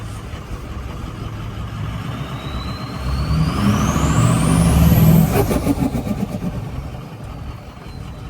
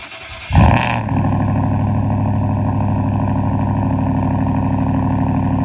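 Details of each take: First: Diesel truck with 6.0 Powerstroke and stage one Power Max tune, died on the way home: revs up with rising turbo whistle, then drops to uneven, choppy idle; owner suspects fuel gelling. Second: Cold start of a mostly stock, leveled 2023 Ford F-150 with 4-inch MBRP straight-pipe cat-back exhaust: starter whirs, engine fires with a loud bark, then settles into a deep, even, throaty fast idle; louder than usual.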